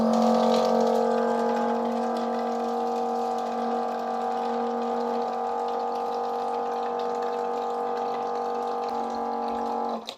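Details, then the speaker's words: Kiwi KWP-8510 rechargeable vacuum-type water dispenser pump, about 2 years old: steady loud hum with buzzy mid tone holding until switch-off; normal running noise for this pump type, louder on first fill of an empty line. "böyle bir sesi var gürültülü bir ses gündüz vakitlerinde Herhangi bir problem yok ama gece vakti bayağı bir sıkıntı yaşayabilirsiniz bu ses yüzünden"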